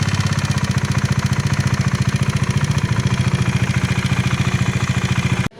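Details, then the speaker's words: Bajaj Dominar 400 BS6, sound suddenly changed after cruising near 125 km/h on a Gujarat trip; rapid thudding with hard uneven edge over exhaust then cut off, abnormal engine noise; owner reported head and gasket problem, unconfirmed. "आवाज़ अचानक से change हो गई थी। वो उससे पहले क्या हुआ था, बाइक जो है वो 125 के आसपास स्पीड पे क्रूज़ कर रही थी।"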